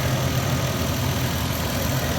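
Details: 1997 Lexus LX450 (FZJ80), 185k miles, engine bay at idle, accelerator cable recently replaced: steady, even low idle rumble with the cooling fan whooshing over it, no knocks or misses. Normal healthy idle.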